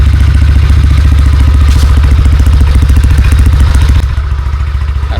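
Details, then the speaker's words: Motorcycle idling right after starting on one click following 11 days unused, battery 12.1 V; steady even low thump about 3.5 beats per second, no misses or knocks, runs lively: normal idle. "One click lang. 11 days walang paandar. Buhay na buhay."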